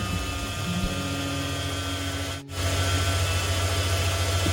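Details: 1993 Ford F-150 5.8L 351 Windsor after throttle position sensor replacement fixing erratic idle and no start: brief crank, fires, settles into steady even idle with regular low pulse, no stumbling; normal start and idle.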